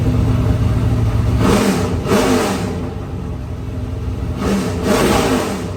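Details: 2003 Ford Taurus NASCAR stock car, Roush Yates carbureted V8, first start after oil system work: strong clean rev bursts dropping back to steady lumpy idle without misfire; runs healthy, carb working without cleaning.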